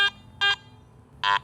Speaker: a midtone is produced for items with digital Target IDs from 35 to 50 listen to this piece of foil in the midtone